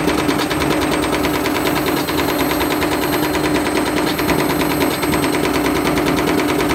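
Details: Candy Grand'O Vita GVC D91 CBB tumble dryer fitted with a universal washing machine motor: overspeeding drum bashes around, fast hard churning with irregular bashing about once a second, tearing the white plastic front swipe pieces.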